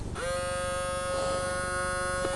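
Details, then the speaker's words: RCA CMR300 VHS camcorder, recently acquired: steady high electric buzz starting at switch-on and holding constant; tape mechanism jammed, won't eject; owner suspects the belt broke off. "I guess the only thing reasons why it's not working I think the belt was kind of broke off."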